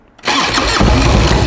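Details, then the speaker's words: 1994 Harley-Davidson Ultra Classic with sidecar, freshly rebuilt Evolution V-twin, first start, non-vacuum-fed petcock, oil pressure light confirmed: starter whirs briefly, catches at once into strong even idle, charging; healthy. "It's charging. Sounds good."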